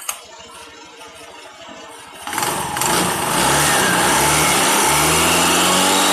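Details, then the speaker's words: Honda Beat or Vario CVT, noisy mostly with a cold engine but also when warm: engine revs up and a coarse scraping rattle rides over the drive note; clutch housing chattering, fixed by coarse-sanding the clutch housing rather than greasing it. "menjelaskan suara vibel yang bunyi kresek-kresek pada beat atau vario."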